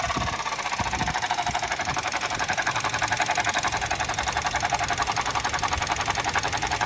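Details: 2018 Suzuki Jimny engine, noise from back left of engine started last week, comes and goes for seconds to minutes: quick, fairly regular tick about three to four per second over light engine hum; source unclear.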